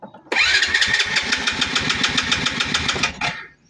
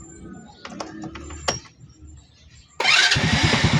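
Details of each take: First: Motorcycle that won't start: electric starter cranks the engine in an even chug, about six beats a second, but it never fires. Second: Motorcycle that would not start despite the high-tension wire having spark: it catches at once on the first press after a few quiet clicks, the fault usually being the spark plug; normal quick start.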